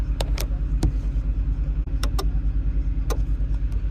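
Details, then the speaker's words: Chevrolet Express/GMC Savana rear AUX HVAC, blower switched on and off with the engine running: sharp, irregular relay clicks over the engine rumble with no blower whir; relays and resistor card get 12 V, motor dead. Blower motor not running. "And uh we can hear the relays click. So, if you go ahead and turn that on and off, you hear the relays click."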